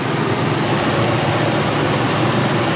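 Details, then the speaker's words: Old Ford F-250 V8 after new plugs, wires, radiator hoses and 180-degree thermostat, cooling system not yet burped: even steady idle with no knocks, ticks or misses; running smooth, no leaks. "Hey Mike, that's running smooth, man. Okay, no leak here."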